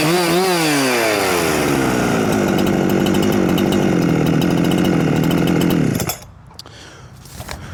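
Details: Huyosen 6524 Husqvarna 365 clone chainsaw free revving after idle adjustment, with no rev limiting; tach showed above 13,000 rpm and the top cover pops off at high rpm. It climbs to a high, steady howl and holds it cleanly; healthy.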